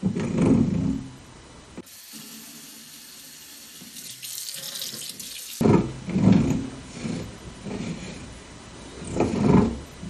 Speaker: Now you can hear how annoying the grinding noise is when I swivel the spout. The feeling is not smooth at all too.